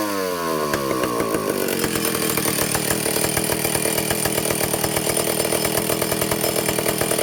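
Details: Vintage Stihl chainsaw two-stroke, test run after fixing air leaks and fuel system, no bar and chain, carburetor high needle 3/4 to one turn out, target top speed no more than 10,000 rpm: revs up and holds a clean, steady high scream, no stumbling or surging; running well.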